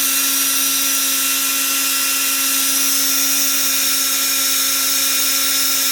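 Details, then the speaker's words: Bosch GBH 36 VF-LI Plus 36 V SDS hammer drill, 2024, warranty repair, four-brush four-pole DC motor losing power and overheating: steady high whine with fizzing hiss, turning free; brush sparking in the failing motor, gearbox fine. "Definitely got a little bit of sparking it on anyway. Yeah, that's turning free there."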